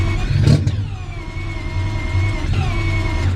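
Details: AWD four-rotor rotary on E85 revving hard with steady high tone that briefly drops out and stutters twice as the fuel cut chops revs.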